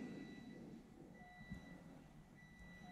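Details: Triumph Rocket III, idle speed control valve reset via TuneECU after setting TPS to 0.72 V: short steady buzzing tones switch on and off over low engine rumble; normal ISCV reset cycle.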